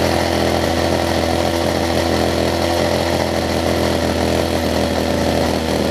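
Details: Older Homelite two-stroke hedge trimmer with new fuel lines and primer bulb, carb low/high-speed mixture screws being set by trial: high steady buzz with a slight waver; unsteady running during adjustment, cause suspected, not confirmed.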